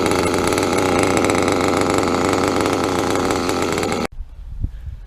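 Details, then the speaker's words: Nitro RC car with a .28 engine, needle untouched since last session, idling without throttle: high, buzzy two-stroke idle holding steady and even with no hunting or stalling; running well. "Alright, so I finally got an idle in one of my cars. No gas. One of my cars is actually idling."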